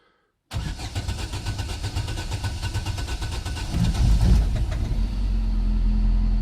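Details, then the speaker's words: First cold start of a replacement 1.6 engine in an Astra H, out of gear, after fuel-pump priming: brief cranking, then a clean catch into a smooth, even idle. The oil light goes out and there is expected heavy smoke; the start is healthy, unlike the old rattling engine. "Whoa, and it started, and the oil light's gone out. And it sounds really sweet. A lot of smoke, which I expected. That sounds absolutely amazing compared to the rattles we had with the other one."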